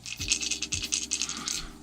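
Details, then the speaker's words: Shure Beta 57A microphone found in a road case, being shaken before opening: quick irregular bright tinny clatter of small loose bits with each shake; loose internal part rattling inside the microphone. "I don't want to know if it's working, because if I cannot fix it, if I cannot open it and find what is making that noise in there is no way that I'm gonna use this thing on stage or ever, or anything to make vibration."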